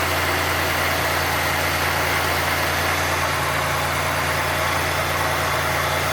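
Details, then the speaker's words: 1990 Oldsmobile Toronado Trofeo 3.8L V6 after adjusting lines, not yet at operating temperature: smooth, even idle with a steady low hum and no misses or hunting; owner considers it normal. "it's not as bad ha definitely not as bad like actually you know what now think about it I think that's normal Idol when it's are cold"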